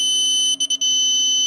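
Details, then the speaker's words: 48V e-bike charger (54.8V no-load) that smoked: after fitting a new 5.1V zener, power-up gives a steady continuity beep with brief dropouts, output shorted again; zener blew because a 7.5K resistor had been replaced with 0.5 ohm. "兄弟们，果然啊，这边这个稳压管往上一换，立马就击穿，还是有问题啊！"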